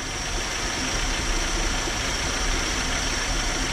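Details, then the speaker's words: 1968 Dodge Charger with a worn 318 and two-barrel carb, sitting in a field since 1984, first start on starter fluid, one side without a muffler: a steady, even, quiet idle. It later floods out; the needle and seat may need replacing. "that is really quiet there's not even a muffler on one side of the engine and it's so freaking quiet"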